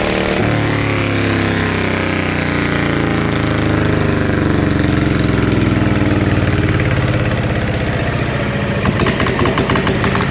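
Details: Yanmar single-cylinder diesel in small loader, rebuilt with 100 mm piston and No. 2 camshaft offset about one tooth, hard to start first time: steady low thumping beat, even firing, no knocks or rattles; normal running.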